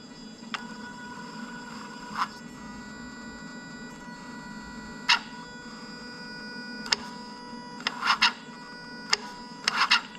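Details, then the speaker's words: Lexus LS430 (2000–2003) 3UZ-FE VVT-i on a new right-hand-drive engine harness with 5-speed automatic: engine hums at idle, then pushing the pedal past its range makes the drive-by-wire throttle click and shut down; a pedal stopper is needed. "I'm going to push the pedal down and I'm going to keep going, and then what you're going to hear is eventually, so the throttle's going to shut off and go click, and you can actually hear it shut down."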